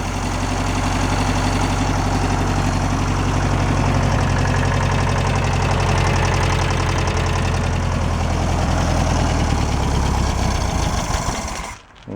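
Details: 1966 VW Beetle air-cooled engine, first revived after freeing a varnish-stuck valve, running with the valve cover back on while warming up: fast, light metallic ticking over a lumpy idle, loose valve lash needing readjustment.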